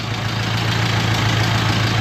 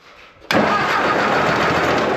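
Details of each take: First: 1950s–60s "doodle bug", possibly a former golf-course or highway mower, just started after the coil was powered with a jumper wire. Steady, even low throb at idle with no misses or knocks; oil pressure present, running smoothly. Normal idle. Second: Old engine just refitted with a replacement belt after freeing a stuck water pump, bushing end of the generator oiled, brief start-up: fast steady idle with a rough gritty growl; a dry generator bearing is suspected, not confirmed.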